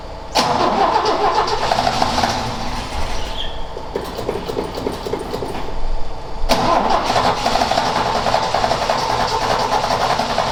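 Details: Ford XA Falcon, parked outside for a long time and not run, attempted restart with a hot coil and a poor distributor cap; engine runs, then chops and sags for a couple of seconds before picking up as the float bowl runs dry: stalling from fuel starvation.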